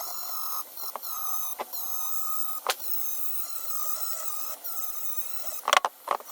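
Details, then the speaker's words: Dremel rotary tool polishing carbon from air-cooled VW Beetle (Baja Bug) cylinder head combustion chambers: a high whine that wavers, with sudden dropouts and crackly bursts; the tool runs rough and sounds close to failing, the user hoping it lasts. "smooth smooth chunky moving on man this things sounds so bad"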